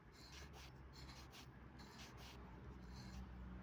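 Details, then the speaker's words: AC compressor turned slowly by hand: rough, stiff rasping scrape as it binds; compressor is bad, turns with difficulty and seized, to be replaced. "Kon AC compressor. This compressor is bad. Why is bad? First of all, you can hear that the sound"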